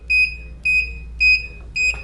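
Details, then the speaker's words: Golden Companion 4-wheel mobility scooter just switched on with the key: a high beep repeating about twice a second with five flashes. The freewheel lever is disengaged, so it is in neutral and will not drive until the lever is raised to engage the electromagnetic brakes. "five flashes and the scooter is not driving that means you're neutral so I'm going to turn the power off uh so neutral means you can Freewheel the scooter the scooter will not operate in neutral"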